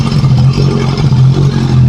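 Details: Motorcycle that would not start in the morning, now running after its battery was charged; charging measured 14.4 V. The engine runs steadily with an even, low hum and no knocks or rattles.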